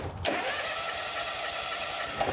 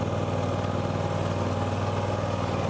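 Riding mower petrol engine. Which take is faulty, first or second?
first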